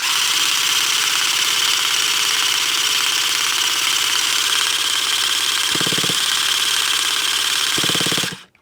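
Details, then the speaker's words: Traxxas T-Maxx nitro RC truck engine, cold: high, buzzy, uneven drone that cuts out abruptly; owner suspects gelled nitro fuel. "Well, that could indicate that we have a little bit of jelly going on."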